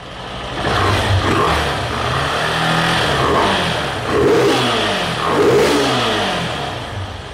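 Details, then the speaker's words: Honda CG 160 single-cylinder with 52,000 km, tired engine that pings under load, newly fitted camshaft: revving with a light, busy top-end clatter over the exhaust; noise attributed to general engine wear, not pinpointed. "só que o maior barulho que tá fazendo aqui rapaziada é barulho do próprio motor mesmo né"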